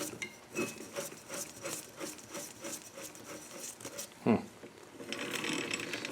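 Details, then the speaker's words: Dixon lawn mower, hub turned by hand during brake adjustment; dry scraping rub about once a second as the brake drum catches on the top again, other side fine; small adjustments change the rubbing, springs may need adjusting. "now let's see yeah see it's catching again so again just little a little adjustments will change what this thing does this side is still fine now does it catch the top or bottom it's catching top again"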